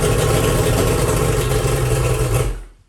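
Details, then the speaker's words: 1997 Champion bass boat outboard after battery hookup: catches on the key and runs a couple of seconds with even, steady low rumble before shutting off; clean start. "So we're gonna maybe just run it for like, I don't know, a couple seconds just to make sure it works."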